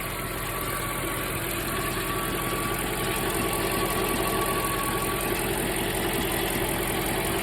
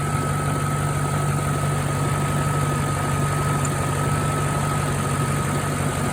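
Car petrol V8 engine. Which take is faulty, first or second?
first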